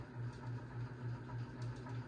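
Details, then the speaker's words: 52-inch unknown-brand bronze hugger ceiling fan on high speed: low buzzing hum swelling about four times a second; light kit and motor wobble, light pull chain dancing; owner suspects a flywheel out of balance, unconfirmed. "I don't think I see the motor housing wobble too much. But the light kit and the motor definitely do wobble."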